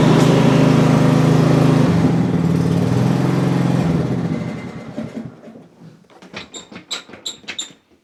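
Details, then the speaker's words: Cub Cadet CC30 H riding mower, MTD Power More engine, after repairing crank-no-start, test run with parking brake set, throttle in fast, top off: petrol engine runs smooth and even, then winds down with a few ticks; normal running. "seemed to run pretty decent it's kind of hard to tell until we get everything put back together"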